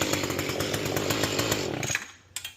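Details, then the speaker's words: Mantis tiller two-stroke after carburetor cleaning, idle screw backed off: engine speed drops and tines stop moving, giving a light, quick, even putter with steady firing and no hunting; idle properly set. "We just back it off a little bit. You can hear the engine speed go down and those tines stop moving."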